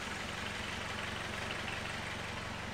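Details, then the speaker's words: Vauxhall Astra van diesel after resetting the manual injection pump adjustment screw: soft, even chug with regular low beat, no rattle or hunting; engine dialed in, normal idle. "so we're just getting that set up in the right position and then the engine is dialed in thankfully"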